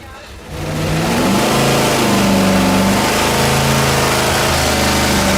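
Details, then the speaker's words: Quad-turbo LS V8 on an engine dyno, pump gas, boost raised to about 12–14 psi: engine revs up under load pulling unevenly, stumbling low down with a steady miss. "so there was a Miss and it was a pig down low you can hear it but in an effort to move quickly we added boost"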